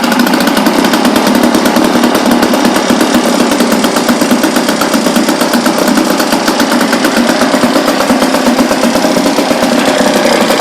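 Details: 1976 Ted Williams Sears 7.5 hp Tecumseh air-cooled two-stroke outboard, carb and fuel lines redone, run in a little water: fires right up into a steady, fast buzzing idle with even beats and no stumbling.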